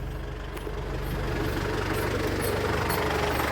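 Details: 2007 Ford Everest second generation, common-rail diesel that cranked but wouldn't start, heard after the fix: idles steadily with an even, low clatter, running smoothly.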